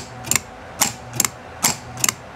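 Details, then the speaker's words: Car's starter solenoid makes sharp double clacks repeating about every 0.8 seconds with no cranking and the engine won't start; starter most likely faulty and needs removal and repair. "The most probable thing is the starter You´ll have to call an electric Or if you know how to do it, you´ll have to remove it And get it fixed Otherwise, the car won´t start"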